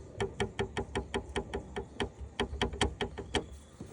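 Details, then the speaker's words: Carbon fiber license plate holder held by only two screws, none underneath, so it doesn't hug the car: sharp metallic taps, about two and a half a second, over low road rumble while driving; fix is 3M foam tape behind holder. "so when you're driving it rattles again there's only two screws there's no screws underneath so it doesn't hug the uh the car"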